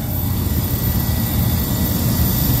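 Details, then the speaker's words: Walk-in freezer not cooling, at about 23 degrees: loud, heavy, uneven low droning roar from the compressor; suspected internal bypass, suction line warm, sight glass possibly flashing, condenser fans running. "This guy's like, it sounds like it's bypassing or something, like it's an internal bypass."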